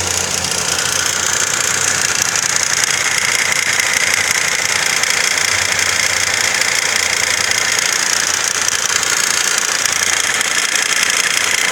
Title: Стук в двигателе. Цепь? Вкладыш? Клапан?